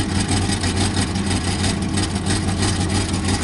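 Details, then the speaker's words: Pontiac Firebird at a rough, uneven idle after a rev to about 5,000 rpm; a loose, irregular rattle rides on the low exhaust note because the exhaust pipe-to-manifold joint is loose and the donut gasket rattles, needs fixing. "Anyways, I gotta fix the donut ring. That's what all this rattling is about over here. It's just like the connection from the exhaust pipe to the manifold is just loose, and that donut ring just rattles around in"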